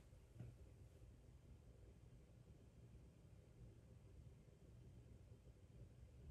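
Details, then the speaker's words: Air handler blower fan in attic under test after installing Ecobee Premium smart thermostat in place of Lennox thermostat: faint steady low hum, barely audible even with attic open; normal quiet blower operation. "I'm trying to listen that's why I'm quiet right now foreign is super quiet but it is on even with the attic open I barely hear it"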